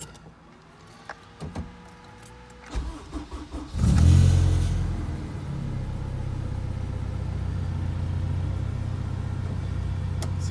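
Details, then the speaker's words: K20A2-swapped Honda DC2 Integra, about 100 km after the swap, exhaust just welded: starts to a loud uneven idle with a repeating low knock through the exhaust; rod knock developed after a struggling pull. "yeah I don't know if you can hear that but she's knocking"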